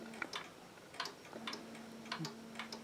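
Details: Very old mechanical striking wall clock, just wound with its door open: a crisp, even tick-tock of about one beat per second in a quiet room; the escapement is running steadily and healthily.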